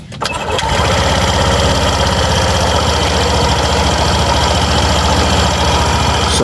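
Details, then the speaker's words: Suzuki Burgman Street scooter running with torque drive and pulley set removed during CVT noise troubleshooting: clean start and even steady idle, no knock or rattle when revved; crankshaft ruled out. "So ito yung tunog niya boss kapag walang kinakabit. So normal yan wala."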